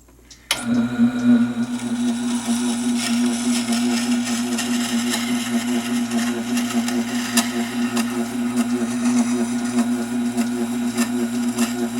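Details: Tormek SG-250 sharpener running: steady motor hum with a faint irregular scraping about a hundred times a minute; an abnormal noise whose source is unknown, and the owner is puzzled.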